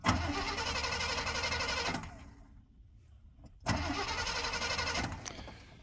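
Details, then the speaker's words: Free plow truck, ignition temporarily grounded on the cowl: two bursts of even quick starter cranking, about four turns a second, never catching; crank no-start, owner suspects ignition module burned out from poor grounding. "maybe it burned out the module and everything not being grounded correctly"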